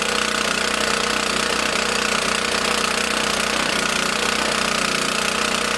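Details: Small lawn mower engine in a fuel additive experiment, on 87 octane fuel stored 13–14 months, started with choke after about eight pulls: loud, steady drone at constant speed with no misses; runs evenly.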